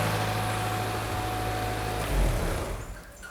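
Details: Petrol car engine idling normally with a steady low hum, no vacuum-leak hiss, after an induced leaking vacuum line was fixed during a tune-up.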